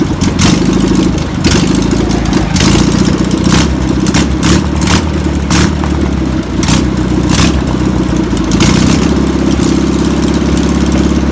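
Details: Old VW pressed-bumper bus, air-cooled flat-four, revived after sitting over 50 years (fuel pump suspected bad): it catches and settles into a steady, even putter with a low throaty beat. Normal running.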